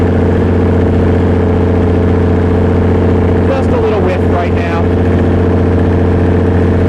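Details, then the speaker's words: Perkins 6.354 inline-six diesel driving a 45 kW Lima generator (Empire gen set), under load: steady low drone with a slightly irregular beat, engine shuddering with slight crankcase blow-by; uneven running, not the smooth even diesel sound, cause unconfirmed. "n hear that that engine is not running correctly it's not the smooth even sound that a diesel should have"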